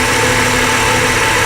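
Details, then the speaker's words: Ford Falcon BA/BF 4.0L that was running rough, after the aftermarket ignition coil was swapped for a genuine secondhand one: steady, even idle with no misfire or stumble, running perfectly. "and see here that one's sparking in there as well it's actually working and the mitre is running perfectly there you go"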